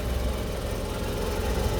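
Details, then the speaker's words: 1985 Suzuki Carry 1000 (ST100) after spark plug and ignition wire checks: started immediately, then a steady, even low rumble with no knocks or misses; engine and radiator judged fine, idling smoothly. "Wah, langsung menyala ya teman. Aman, mesin aman, radiator aman,"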